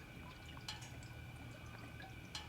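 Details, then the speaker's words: 1966 Chevy Impala, once flooded in salt water, after first real test drive: quiet bubbling, dripping and splashes over low hum as hot, darker but not burnt-smelling fluid drips from the transmission; gurgling cause unknown, clog suspected. "it's still gurgling. That is the transmission, right? It is the transmission."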